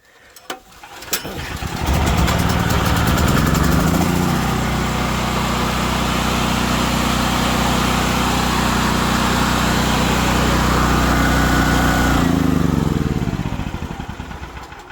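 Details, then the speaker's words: Small generator being converted from gas to propane, still running on gas, primed, manual choke no longer used: cranks, catches within a couple of seconds and settles into a loud, steady, even drone before shutting down; starts and runs fine. "all right guys I know it's loud the generator's running"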